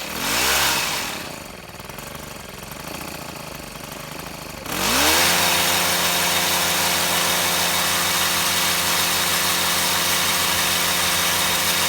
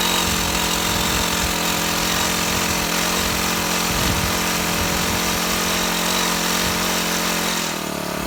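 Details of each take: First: Shindaiwa HT2510-40 hedge trimmer with a C4 low-emission four-stroke, repaired for no power (clutch, cam replacement and timing, valve clearance, stripped threads): surges once, then holds a high, steady, even buzz at full revs with no misses. Running properly. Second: Shindaiwa HT2510-40 hedge trimmer with a C4 low-emission hybrid four-stroke, customer complaint of no power, test run after clutch replacement: runs terrible, ragged and uneven, never reaching clean speed.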